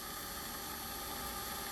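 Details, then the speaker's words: Celestron CPC telescope azimuth motor after cleaning its encoder and connector with contact cleaner, run at full slew speed from remote: steady even high-pitched whir with constant hiss, no catching or stutter; motor now responds to speed changes, normal running. "So if I get the remote here and I run it at full speed, you'll see this thing spin, or you'll definitely hear it spin."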